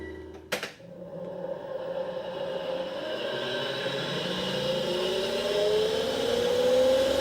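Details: 10-year-old Panasonic NA-VR1100 drum washer-dryer in drying mode: after a click, a rough whirring whine rises slowly. The blower fan motor bearing is galling from a foreign object, so drying stops with errors; a motor or bearing replacement fixed it.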